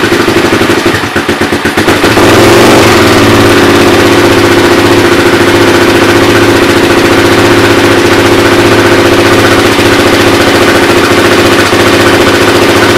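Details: Suzuki LT-R 450 quad after CDI replacement, battery charged, air filter off, likely choked: cranks then settles into steady even single-cylinder idle about four beats a second, no misses; repair successful.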